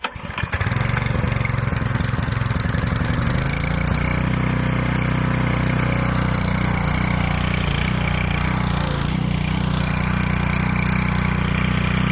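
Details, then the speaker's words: Dirt late model race car, first start of a freshly installed V8 in cold weather with carb cleaner sprayed in: a brief crank, it catches and settles into a steady, even idle with a deep regular beat. It started smoother than expected. "it went smooth than expected the startup yes sprayed her with a little bit of carb clean and gave her some of that Cosby sauce she barked up she loved it"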